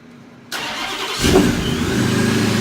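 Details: Procharger-supercharged Hemi V8 Charger, the day after a newly installed Procharger: starter catches, quick flare of revs, then an even, steady idle with a faint high whine above; healthy.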